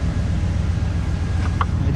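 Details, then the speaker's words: 2007 Ram 1500 after new rear axle bearings and seals, running on stands with the wheels turning: a low, steady drivetrain rumble with no grinding, growl or whine rising with speed; the rear axle sounds healthy. "anything leaking anywhere I don't hear anything there's no grumbling there's no groaning"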